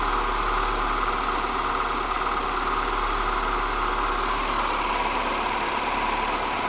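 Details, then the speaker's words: MINI Cooper S petrol engine after repair, idling steadily and evenly with no knocks or surges; runs well on all four cylinders. "petit contrôle de routine bon comme vous l'avez entendu elle tourne super bien c'est top je suis super content"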